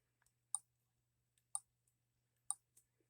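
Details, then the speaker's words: H76 Microcosm twin-cylinder model engine being cranked by a drill, with the tank full and free rotation and no binding: crisp ignition snaps about once a second over a faint hum. Normal ignition spark. "full range of motion no binding no tight spots listen you guys hear the ignition snapping"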